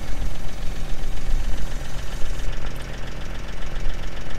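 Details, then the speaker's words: GMC Acadia SLE AWD, 175,000 miles, at idle: rough uneven idle with a pulsing puff-and-tick near the rear from exhaust escaping through holes in the exhaust; exhaust leak. "The exhaust leak is on this side. So kind of like in here, you can see the holes right here."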